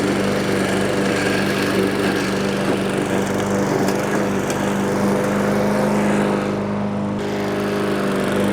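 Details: Discarded Toro walk-behind self-propelled mower after a service, a new spring and carburetor work: a steady, constant drone while cutting with no misses or surging; the engine runs healthy under load.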